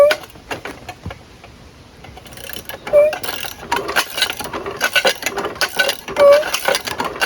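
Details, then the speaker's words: Seized riding mower engine, plugs removed, crank turned by hand after freeing: slow irregular clicks and scraping grinds; owner suspects camshaft and crankshaft gears meshing, rings possibly damaged with low compression. "You can hear it like grinding inside the gears. I think it's probably the camshaft and the crankshaft gear probably meshing."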